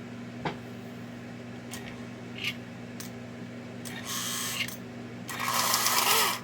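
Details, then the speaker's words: Prewar Lionel 1666E model steam locomotive motor test run before restoration: steady low hum broken by rough, raspy high-pitched bursts; the E-unit cycles forward and reverse, but the motor is dry and needs oil. "there we got forward reverse as you can hear it needs oil but the eunit cycles and we have both directions so we got something to work with"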